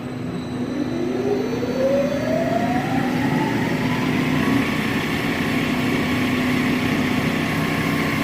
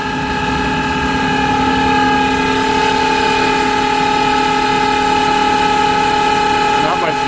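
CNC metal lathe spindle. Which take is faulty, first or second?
second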